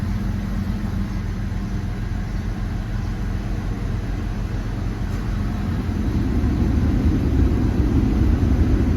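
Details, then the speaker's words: Jeep WJ 4.0, after replacing ignition coil and spark plugs for code P0351 (coil primary/secondary fault) that caused shaking and poor acceleration, battery reset: starts first try, steady even idle with no stumble or shake; runs smoothly. "ด้วยสตาร์ทที่เดียวติดปกตินะครับเครื่องไม่สั่นแล้วนะครับ"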